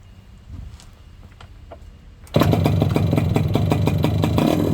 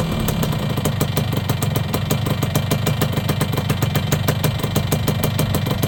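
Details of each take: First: Yamaha YB100 two-stroke on the old standard exhaust before replacement: quiet start, then harsh, loud crackling bark on quick revs; pipe rotted through with holes, no baffle and no back pressure. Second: Yamaha YB100 two-stroke after fitting a new exhaust: crisp, even idle with a quick steady crackle of firing pulses and no misses; engine runs clean and healthy.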